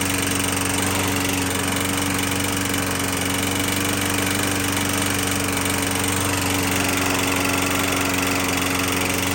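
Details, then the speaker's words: 21-inch Murray 125cc push mower after valve adjustment, oil showing metal sheen: lumpy, uneven wandering beat with faint knocks under steady drone; still rough; owner suspects internal damage, possibly from running without breather cover; not worth fixing. "but to me it seemed like it's a internal damage and really not worth time"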